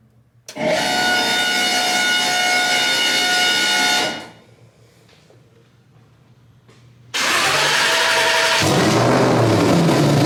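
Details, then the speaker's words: Coyote engine built for 2500 hp capability, on Holley, turbocharged, first start attempt with loud exhaust, fuel pump status uncertain: two bursts of high whirring starter cranking, seems to try firing but won't catch; cranks, no start. "So guys, trying to attempt the first start here. Already issues, of course. What do you expect? It almost sounded like it was trying to fire, right?"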